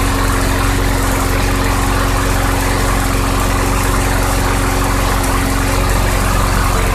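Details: 2006 Craftsman 917.376160 push mower with 6.75 hp engine, found roadside and rusted out, running on 90-octane ethanol-free fuel: steady, even single-cylinder beat with no misses, knocks or surging; engine great though the deck is not reusable.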